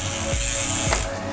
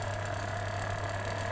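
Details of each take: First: Bicycle with SRAM Red eTap during install fine-tuning: a light repeating ticking scrape as the chain rubs the next higher cog. The fix is a micro-adjust trim toward the outboard position. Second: SRAM Red eTap drivetrain after micro-adjust trimming of the rear derailleur: a smooth low hum with only faint ticks and no chain rubbing on the next higher cog, so the derailleur is properly trimmed.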